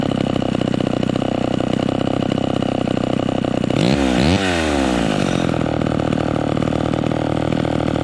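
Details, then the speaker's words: Vintage chainsaw at full throttle, no load, high-speed needle turned in: screams smooth and clean with no four-stroke burble, meaning the mixture is too lean and needs backing off. "so we turned it in until it was singing super smooth with no blubbering but that's too that's too lean"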